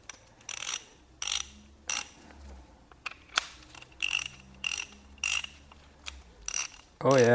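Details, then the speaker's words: Socket ratchet after disassembly, cleaning and greasing the pawl mechanism: quiet, light clicking in short bursts with each return stroke, about every 0.6 s, measured around 77.5 dB; smooth, low drag, working normally. "let's drag look how quiet it is now oh my God this thing feels absolutely amazing now"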